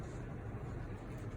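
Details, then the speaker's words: Medify Air MA-112 large air purifier, ionizer on, fan at speed two to three: low, soft, even rumble with no rattle; barely audible from a step away, running normally. "step away you're not gonna be hearing this speed three step away still don't hear it"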